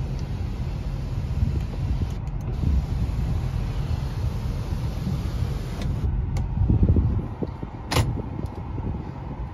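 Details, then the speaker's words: 2010 Ford F-250 Super Duty diesel, crew cab 4WD Lariat, started and idling: fires right up, then a low, steady diesel rumble settles into an even idle with no knocks or misses. Normal, healthy diesel idle. "i'm gonna start it up fires right up sounds really good"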